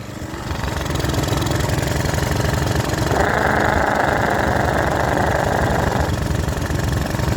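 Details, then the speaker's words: Small pressure washer engine restarted on good fuel after ATF fed into it had stalled it, during deliberate abuse: rough running with a repeating knock about three to four times a second; owner suspects a rod knock, unconfirmed. "It sounds like it has a rod knob."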